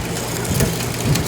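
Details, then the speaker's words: John Deere 47 snowblower during reassembly, after chain adjustment: engine with an even mechanical run and only light clatter, no skipping; the worn, stretched chain was likely riding up over the sprocket teeth and now runs smoothly. "Oh, that's sounding a lot better already. Wow, so I think what was happening was that chain was so wore out and stretched, it was starting to ride up over the sprocket prong things."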